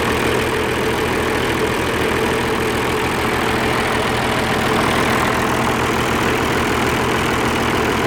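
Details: Oliver 1550 diesel tractor in neutral after injector work: even idle with regular firing beat, no misses or knocks; energy cell warming, exhaust clearing, running smoothly.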